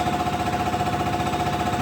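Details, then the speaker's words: Detroit injector on a test stand at max power, reading about 240: fast, even chattering with a steady mid-pitched ring; fires cleanly and consistently, reading level. "This is a pretty good running injector right here under max power."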